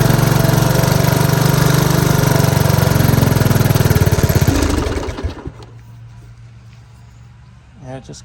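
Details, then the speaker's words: 1983 Honda ATC 185S single-cylinder during carburetor screw adjustment: steady fast idle then sags and dies within a second, as if starving for fuel; owner says it ran out of gas again, cause suspected. "running out of gas adjust it out a little bit more and it just ran out of gas again"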